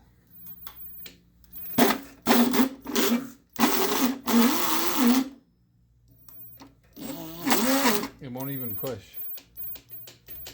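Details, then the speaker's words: Electric scooter rear hub motor on the known-good front controller, wired in reverse: at full throttle it tries to turn backwards with bursts of harsh grinding and a wavering whine, wheel barely moving; hub motor itself is bad. "that's full throttle it kind of wants to go but it goes backwards and it makes a shitload of noise"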